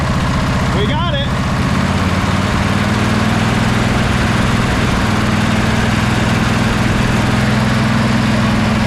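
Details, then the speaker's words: Sabre by John Deere twin lawn tractor after clearing a clogged carburetor port and a loose post: deep, steady thrum with both cylinders firing evenly. It idles slightly high because the replacement carb won't reach full idle, otherwise running really nice. "Uh this replacement carb is not doing the best job of getting all the way down to idle. But um this thing is running really nice now."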